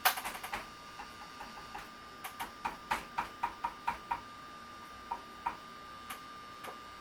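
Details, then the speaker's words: Sharp Aquos LC-52D64U TV, dead, power supply board after heavy dust cleaned out: irregular sharp ticks a few per second with pauses over a faint steady high whine; capacitors look fine, internal windings suspected, board to be replaced. "C'est le bloc d'alimentation qui fait ça. Bon, j'ai regardé sur Internet. On dirait que c'est les enroulements à l'interne ici qui font"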